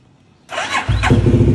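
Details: Motorcycle in gear 1 with the clutch pulled, started after a Brembo RCS19 Corsa Corta brake master install and rewiring: quiet, then a quick crank and the engine catches cleanly into a steady, lumpy idle, a normal start.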